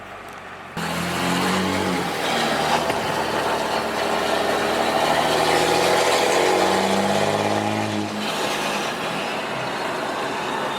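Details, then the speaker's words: 2013-2018 Ram 6.7 Cummins diesel with 369 turbo after Banks intercooler pipe install, driving: pulls hard, then a clear turbo whistle and spool-down on throttle lift, more pronounced than before; healthy boost system. "our whistle's way more pronounced now you hopefully you guys can pick it up on the camera uh when you let off the throttle and you you can hear I I used to not be able to hear that whistle like that before which is kind of nice"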